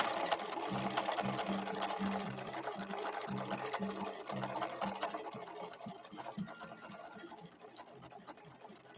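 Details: Late-1970s Viking Husqvarna 6460 Colormatic sewing machine after several repairs, sewing the yellow stitch on cam B: quick even stitching clatter about three beats a second over a light motor hum; normal smooth running.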